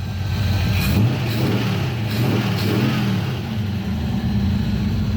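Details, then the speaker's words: V8 Maverick with Holley carb after revival: steady, even burble with smooth throttle blips, no hunting or stumbling; air-fuel adjustment valve audibly trimming without chasing; normal running. "our adjustment valve is running and trimming our air fuel ratio i can hear it going and it seems like it's not trying to chase it all over the place so we're good"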